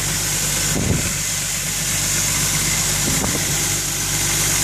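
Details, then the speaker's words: 1997 Vauxhall Omega Elite BMW M51 six-cylinder turbo diesel automatic, first cold start after 18 months off the road, idles smoothly under a hissy, puffing exhaust leak that will need welding. "Smooth. Exhaust leak, that'll need welding"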